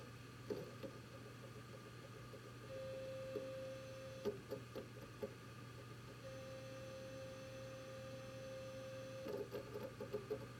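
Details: WD Red Pro hard drive in a Synology DS918+ NAS: thin steady mid-pitch tone switching on and off over a low hum with scattered clicks; drive is beeping, cause unknown.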